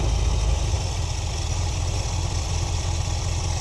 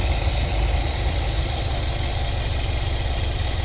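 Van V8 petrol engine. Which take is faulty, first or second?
second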